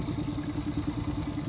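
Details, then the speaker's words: 2014 Mercury 25 hp EFI four-stroke outboard after replacing the fuel pickup lines and draining water from the vapor recovery system, cures for fuel starvation and stalling in gear: even, quick putter at a steady low pitch with no misses; healthy idle. "so here we are with the 20 2014 Mercury 25 EFI this thing is purring like a kitten it has all the fuel at"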